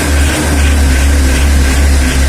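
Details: Mitsubishi L300 diesel before injection pump setting, under throttle: heavy, low roar sounding dull, rough and crackly rather than crisp; injection pump out of adjustment.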